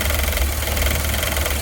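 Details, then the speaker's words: GMC 6.0 V8 warming up after sitting ice cold: light, fast buzzing rattle like a fan hitting something, coming from the throttle body; owner suspects its idle-control blade fluctuating, cause unconfirmed. "I want you to listen to this it almost sounds like a fan hitting something but it's not"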